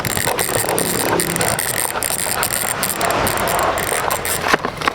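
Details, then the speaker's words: Speed 1 Soldier 12-speed, 6-pole (pawl) bicycle hub spun by hand in a bike shop: rapid, fairly loud, even ratchet buzz, described as somewhat noisy. Normal freehub clicking. "So, pakinggan natin kung ano yung tunog niya ng 6 poles na yan. Ayan. Wait lang. Ayan. So, medyo maingay"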